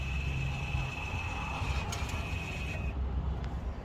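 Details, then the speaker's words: 2014-on Mazda 6 (Atenza) GJ leaving brake service mode via start button, accelerator and park brake button, then park brake pulled up: thin motor whine about three seconds over low idle, then stops; electronic park brake applies normally. "And then if we pull up again now, we'll hear the handbrake activate, and that's job done."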